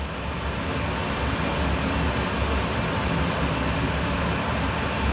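Low, steady hum from the outdoor unit with an even drone and no knocks or squeals; the condenser is running normally.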